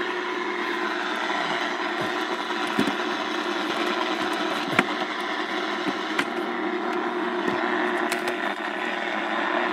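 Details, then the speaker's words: Early-1980s GE clock radio on the AM band: constant hiss with scattered crackles and pops from electrical noise generated by a nearby aftermarket laptop power adapter; AM radio interference. "and my aftermarket power adapter that thing um i don't even know who it's made by it's uh picking up a lot of uh it's generating a lot of uh electrical noise"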